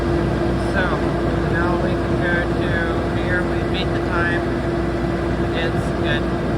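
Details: 45 kVA Magnum/Generac generator, Isuzu diesel, Marathon alternator, after repair, running on 480 V setting adjusted from 486 to 481 V; steady even diesel drone with constant hum, no knocks, misses or surging: normal running.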